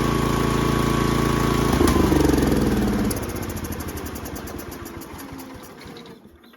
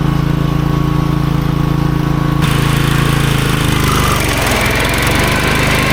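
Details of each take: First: Toro Groundsmaster 52 with a swapped Briggs & Stratton 16hp cast-iron single: thumping about four beats a second that fades and stops; starts with gas poured in, runs about 20 seconds then dies, carburetor fuel starvation. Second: Toro GroundsMaster 52 with replacement used Briggs & Stratton cast-iron 16hp single after rod failure: steady single-cylinder thrum dipping slightly as the deck takes load while mowing; idles and runs well; normal running under load.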